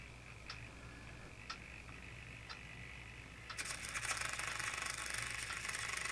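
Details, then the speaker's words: RC airplane servo on a servo tester: faint steady hum with soft periodic ticks, then harsh buzzing chatter at one end of travel; servo has an internal problem. "i don't know if you can hear it but it's it's making a little bit of a humming"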